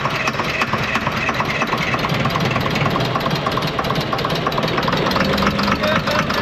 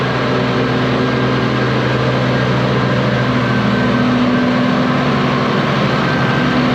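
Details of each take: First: Ex-US Army Cat D6R bulldozer, 822 hours, first start after sitting inoperative, very smoky: loud, uneven diesel clatter with lumpy irregular beat; running on five cylinders, one injector not clicking well. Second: Low-hour (822 h) ex-US Army Cat D6R bulldozer diesel, bought inoperative, running after repair: steady, even, pitch wavering a little as worked, no knocking; zero blow-by noted, engine healthy, though a couple of hydraulic leaks were found.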